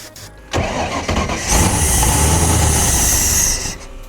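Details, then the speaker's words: 1993 Nautique boat engine, unrun for a couple of weeks, started with starting fluid; it cranks, catches and runs briefly at an uneven roar, then dies, because only one injector sprays fuel and three others show weak pulses. "Not all the injectors are working, so whenever I try to crank, you can see only one of the injectors are shooting fuel, which is not a great sign."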